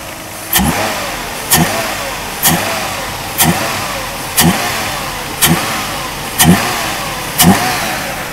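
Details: 1991 Mercedes W124 300CE 24V: sharp throttle blips about once a second, each rising and settling cleanly back to idle with no misses; revs freely and healthy.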